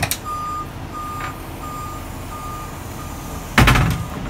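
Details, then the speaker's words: Shower bus (Ojai Valley Family Shelter) parked with parking brake on and in park, doors opened and ADA ramp being deployed from control panel; single mid-pitch beeps about every 0.7 s over idling vehicle noise and a loud clunk, normal ramp-moving warning. "Open the doors and deploy or stow the ADA ramp. We're gonna deploy it."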